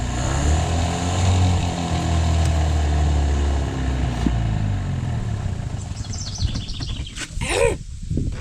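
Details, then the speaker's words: 27-year-old Bass Tracker outboard, prime pulled out: low uneven burble that sags and wavers, won't hold a clean idle and fades; pushing the prime in kills it, owner suspects an airflow issue. "It doesn't like idling. It's also a 27y old motor that's not had all the cobwebs."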